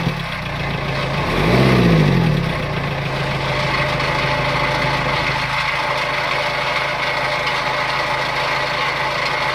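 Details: A Renault Kangoo I 1.9 dCi diesel idles steadily with a faint regular clatter over the low drone. The engine also gives black smoke on acceleration. Cause suspected, not confirmed. Abnormal engine noise at idle.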